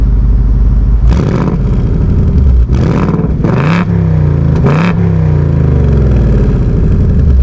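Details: 2024 seventh-generation Ford Mustang GT V8, revving in quiet, normal, sport or track exhaust mode; deep rumble with four sharp throttle blips settling back to steady burble, modes differ mainly at higher rpm; normal exhaust note.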